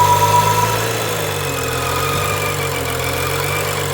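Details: 2011 BMW N55, warm engine, just after oil pan gasket replacement: thin steady whine near passenger-side firewall over a rough surging idle, lingering 1–2 s after shutoff; steering softer, traction light flickers; source unknown.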